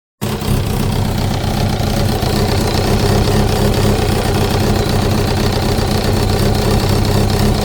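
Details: 2005 Kawasaki ZX-10R (Gen1), 41,000 km (25,500 miles), idling: steady loose knocking; cam chain, tensioner replaced and valves adjusted without change; owner suspects clutch basket back springs, not the generator; cause unconfirmed.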